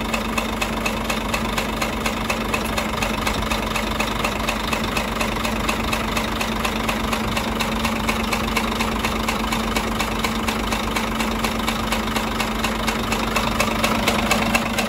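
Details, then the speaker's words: Scania 13-litre truck diesel at idle with a heavy, steady knock about twice a second; a broken connecting rod bushing or bearing on cylinder five is suspected, and possible overheating is questioned, cause not confirmed. "есть втулка шатуна разбита либо вкладыш именно пятого цилиндра будем смотреть что у нас здесь"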